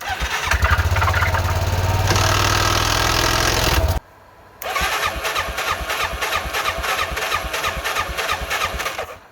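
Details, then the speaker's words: 2000 Arctic Cat 500 4x4 ATV, Suzuki 500cc single with a used crank, driven out after the rebuild; rough thumping, stalls, restarts with an uneven labouring beat and heavy exhaust smoke; owner suspects a seized clutch, perhaps a missed washer. "does not sound good oh it's starting to lock up yeah that clutch is seized up in there maybe it'll self clear"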